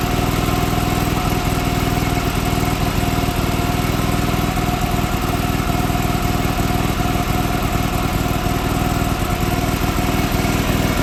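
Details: John Deere 425 garden tractor, sat for years, new starter, restarted: uneven, lumpy beat about three pulses a second with stumbling firing, sputtering and smoke smelling of oil; cause not confirmed.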